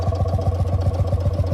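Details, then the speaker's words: 1955 Lanz Bulldog D2402 tractor, single-cylinder two-stroke with straight pipe: deep, even, crisp thumping at about eight or nine beats a second; idling healthily. "but there it is it's got a great little sound to it"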